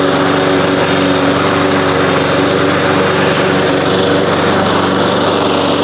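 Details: 1993 Toro Recycler II mower with Briggs engine, after no-spark repair with replaced ignition coils and damaged flywheel: steady high buzz at constant speed while mowing, no misses or surges; normal running under load.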